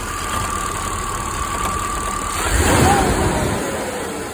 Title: Chevy 305 rattling noise at low rpm.. bent pushrod? Bad lifter? #chevy305 #sbc #mechanic #gmc